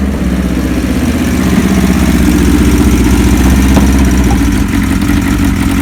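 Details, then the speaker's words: 1976 Kawasaki KZ900 four-cylinder engine after a new cam chain and gaskets, oil tight, smoking slightly on one-step-colder plugs: a smooth, even idle pulsing about four times a second with no ticking or top-end rattle, so it idles normally. "now keep in mind well we did was just put a cam chain in it and the gaskets and there's no motor noise or anything like that"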